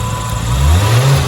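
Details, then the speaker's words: Nissan Skyline after cleaning the air flow meter and resetting the ECU (battery disconnected), air box off: engine revs smoothly and evenly with no stumble, idling smoother; normal revving. "sounds good it seems idle smoother too"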